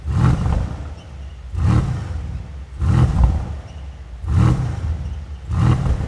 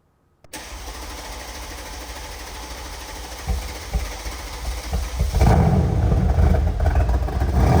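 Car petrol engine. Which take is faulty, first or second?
first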